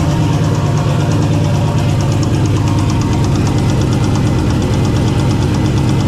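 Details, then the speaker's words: Engine with an oil cooler and good oil temperatures and pressures spins a rod bearing after detonation from high air temperatures. Deep, heavy, steady knocking at idle under a loud low bottom-end rumble: spun connecting rod bearing knock. "Then it actually spun and it was clearly knocking. So, you can kind of go back to the start of the video for uh the sound of that."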